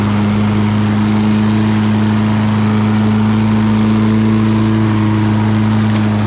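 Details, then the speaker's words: Lawn Boy all-wheel-drive mower with Kohler engine, cutting and bagging grass: strong, constant drone holding steady speed with no misses or knocks; normal running under load. "Okay, this thing runs great. So I was only doing it with one hand, as you can tell. That all-wheel drive system works really well."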